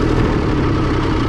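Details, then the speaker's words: International 454 tractor, British three-cylinder diesel that had a miss, after checking the air cleaner: steady low diesel clatter settling to an even idle, all three cylinders firing with no skipped beats. "Let it idle down. Yeah, you can hear it's hitting on all three."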